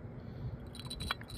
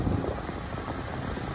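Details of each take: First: Ford Fusion external water pump removed and spun by hand: loose metallic clinking and rattling from a worn-out bearing; the new pump spins with no noise. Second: 2012 Ford Fusion idling just after external water pump and stretch-fit belt replacement, with the radiator cap off and the heater on to bleed air: a quiet, steady low hum with no knocks or squeals. Normal healthy idle.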